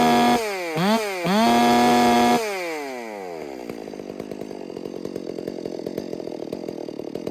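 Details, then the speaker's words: Freshly rebuilt, built 460 chainsaw at wide-open throttle, high screw turned counterclockwise until a faint sputter appears, then back to idle (about 2,800 rpm idle, about 14,200–14,300 rpm high): clean steady scream, smooth drop; normal full-throttle run. "So I'm gonna hold the throttle wide open and go counterclockwise now until I faintly hear the sputter start to come in to the RPM. You can faintly hear it."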